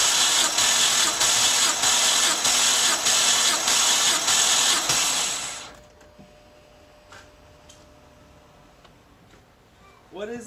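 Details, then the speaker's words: BMW 325i E90 N52 engine that burns oil, compression test on cylinder 3, the suspected problem cylinder with oily plug threads. Even cranking at about 98 pulses a minute over roughly nine strokes with no weak strokes. Reading 175, healthy. "oh well that's quite interesting 175 maybe i'm not letting it crank long enough that time i let it crank for nine times i think"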